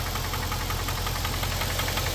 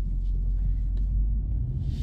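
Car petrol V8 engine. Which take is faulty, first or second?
first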